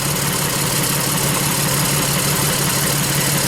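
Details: Lexus RX 300 petrol V6 with check engine light: uneven, lumpy idle stumbling about three times a second; unplugging coils shows one cylinder dead, misfiring.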